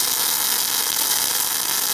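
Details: MIG (semi-automatic) welding a continuous 10 mm fillet weld: steady, even frying hiss with no pops or sputter; arc well set and running smoothly.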